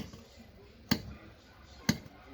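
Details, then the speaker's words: Renault Kangoo front suspension worked by hand: two sharp, loud clicks about a second apart, not every time; customer reports knocking, worn shock absorbers to be replaced. "e olha só sobe rala desse ó e olha barulho não é toda hora nós faz ó É isso aí galera eu não tenho que trocar os amortecedores também"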